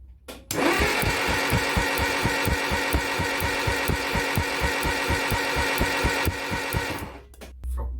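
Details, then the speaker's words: Mk1 Cortina engine cranked with a spark plug out and lead held near the head to test spark and build oil pressure: even, regular cranking beat about two compressions a second, no firing; normal cranking. "what i did is wiggle one of the spark plugs with a hd lead run it close to the head crank it and you can see that"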